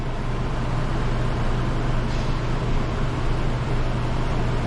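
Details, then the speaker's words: Newly installed Coleman Mach 15 RV rooftop AC, heard from on the roof: compressor running, steady low hum with constant airy rush, no rattles or surging; blowing cold, normal. "We'll go up top and see if we can hear the compressor running. Yeah, you can hear it running."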